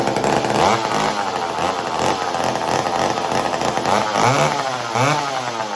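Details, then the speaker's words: McCulloch Mac 120 chainsaw, bought as non-running and just got running: two-stroke buzz surges and sags every second or so; rough running, owner thinks it needs a carb rebuild. "There's still some work that needs to be done with this saw to get it running tip top 100%, but I would feel like I'll get there, because I think I need to do a carb rebuild on it"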